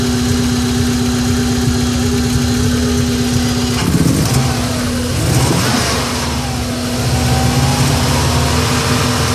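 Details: 1994 Subaru Impreza engine misfiring, lumpy uneven idle beat staying choppy through the revs; owner suspects coil pack or MAF, cause not confirmed.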